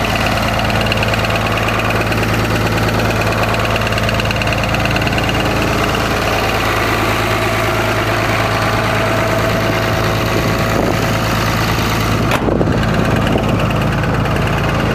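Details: Cummins diesel idling loudly with a rough, uneven knock roughly three per second; suspected rod knock, source not pinned down, not confirmed.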